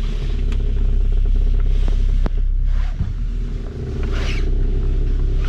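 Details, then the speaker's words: 2006 Toyota Camry, 187,600 miles, turning the steering wheel in place with engine idling: dry creaking and light clicks; suspected steering rack or tie rod, found the right front tie rod badly worn and replaced it. "大家有听到就是嘎吱嘎吱的声音出现这种声音最常见的两种情况一个是它的转向机有问题还有一个是它转向拉杆有问题"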